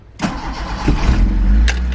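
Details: 36-year-old AE86 Levin after headlight wiring repair, key start: brief crank catches almost at once and settles into a steady low idle with no stumbling; normal engine start.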